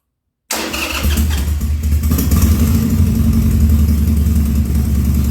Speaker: that's uh the first start after the carburetor rebuild and so far so good